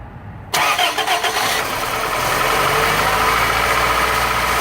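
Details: 2001 Toyota Corolla 1.8L 1ZZ-FE starting after timing chain tensioner replacement: cranks, catches in half a second and settles to an even idle with no chain rattle; the new tensioner cut about 90% of the chain noise.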